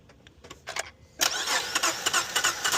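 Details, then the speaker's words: Acura with about 230k miles, cranking while the top pulley is watched through a sight hole. The starter spins the engine fast and perfectly even with no compression strokes and it never catches, while the top pulley doesn't spin: broken timing belt. "Okay. Yeah, that top pulley didn't even spin."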